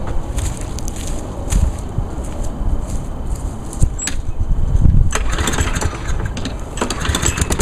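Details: 2010 Craftsman ez2walk front-wheel-drive self-propelled mower with automatic choke, pull-started because the electric start fails despite a charged battery and new fuses (suspected electrical problem); catches easily, settles into a steady, even chatter. Running normally.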